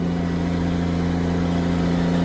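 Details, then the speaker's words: Old tractor shifted up one more gear while baling barley silage, ripping hard. A deep, steady drone holds firm under heavy pull with no knocks, misses or surging; the engine sounds strong and healthy. "We're ripping on her. We're ripping on her. Oh God, yeah. There we go. You heard her bark."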